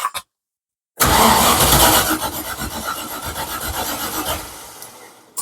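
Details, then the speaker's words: Mk1 Ford Capri Rover V8 turbo, rebuilt bottom end: harsh gritty grinding as the V8 cranks on the starter without firing, turbo spinning, good oil pressure; rough crunchy cranking, cause not clear. "so it's a bit grunchy because I tried to turn it over the other day and I I forgot that taking the things out"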